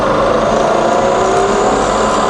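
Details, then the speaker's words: Fully rebuilt Bridgeport milling machine, variable speed head in high range, spindle running in reverse around a thousand RPM; steady even whir, clean tones, no knocks or grinding, runs smoothly. "okay so let's go all the way to the top that's to 9000 that's 2,000 back down to a thousand and then on to 450 okay reverse now [Music] thousand in Reverse"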